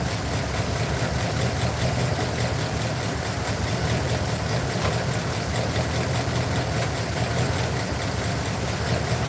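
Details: Truck with a rough, loping idle and irregular stumbles, checked with an inductive timing light. One side cylinder responded slower than the others and is the suspected culprit; its plug is to be pulled. Misfire at idle.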